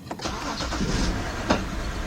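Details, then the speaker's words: 2010 BMW 528i 3.0L, check engine light and occasional rough running, code P0305, start-up: engine catches into an uneven idle with a stumbling beat every few turns; cylinder 5 misfire. "Oh, we got a definite misfire going on here."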